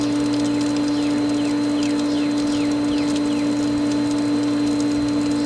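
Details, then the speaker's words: Pool pump after the skimmers were opened following winterization, air cleared: smooth, steady hum at constant pitch with no gurgle or air rattle; the pump is primed and running happily with more water getting through. "now if you also notice from what the pump sounded like before I even started this to what it sounds like now it's a lot happier because it has more water getting through it"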